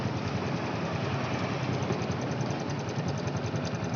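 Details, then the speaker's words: Honda Revo Fit after cam chain replacement, first start: small single idling with light quick "itik itik" ticking because the new cam chain tensioner hasn't filled with oil yet. "ini yo hehehe Hai legenda-legenda gandanya masih bunyi itik itik itik itik itik"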